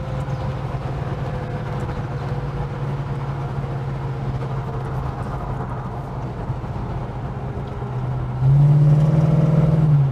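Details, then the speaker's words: Holden HK with automatic transmission overfilled by about a litre, at 65–70 mph: low deep drone that swells louder and rougher under acceleration; owner suspects overfill damage or torque converter, unsure. "What the hell's happened to my beautiful car? Has overfilling the auto done the damage? Could it be a torque converter thing? Oh my God, what the hell is that noise?"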